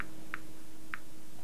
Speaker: the clicking you can hear is due to natural background radiation radiation hits this probe and causes this box here to click